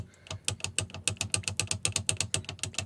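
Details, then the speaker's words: Effbike fat-bike motor with a noise complaint: sharp, regular clicking, about seven per second, as the one-way clutch is turned by hand. It should freewheel but is locked, catching instead of spinning free. Finding: faulty clutch bearing. "It's not rotating at all. This should freewheel. It's locked."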